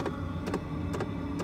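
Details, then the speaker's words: Land Rover Freelander 1 TD4 diesel, Webasto Thermo Top C fuel-burning heater starting correctly after the fix: sharp fuel pump double ticks heard from the rear wheel arch over a low fan hum. Fuel priming and forcing the glow plug fixed the no-ignite fault. "so this is it correctly working starting up you can hear clicking from the rear wheel arch"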